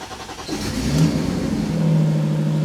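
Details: BMW E46 323i with turbo M52, unopened engine, first start on E85 after DeatschWerks DW300 fuel pump install and required fuel changed to 9.8: cranks, revs briefly, settles to steady smooth idle; normal.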